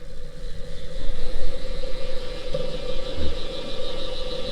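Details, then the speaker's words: Electric radiator cooling fan for a Jaguar MK2 build, bench-tested through a relay and override switch: steady electric whir with a coarse rough hum underneath and no speed change; fan motor badly worn but wiring proven. "you can hear the most clapped out, worn out piece of junk ever to grace the bench, but it proves the concept."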